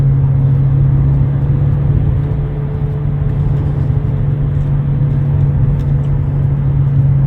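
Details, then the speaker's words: 2009 Nissan Altima 2.5 CVT driven at 40–60 mph: a steady low droning hum at one pitch over road rumble. Worn driver's-side front wheel bearing, replaced. "this one was making a really loud noise at about forty to sixty miles an hour and I'll I have a clip of the the sound it was making so you can hear what it sounds like"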